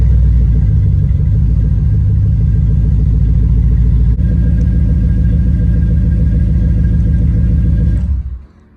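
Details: Cadillac truck that sat unused over 4 years, started after fresh oil and filter, new coolant, old gas siphoned and replaced with new 91, new battery: deep, steady, evenly firing idle about eight seconds, then clean shutoff; normal idle.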